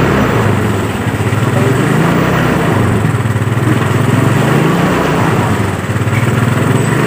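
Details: Yamaha Mio Sporty that was dead, started after carburetor service and spark plug refit; loud single-cylinder idle whose pitch wanders up and down every second or so, pointing to a leak at the carburetor diaphragm (membrane), to be repaired.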